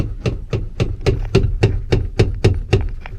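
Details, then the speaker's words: 1989 Nissan 240SX interior: dull, evenly spaced low knocks about three to four times a second; the seat shifts because a mounting bolt is stripped and needs re-tapping. "There's a bolt down there that needs to get re-tapped because it kind of strips, so the whole seat kind of moves a little bit."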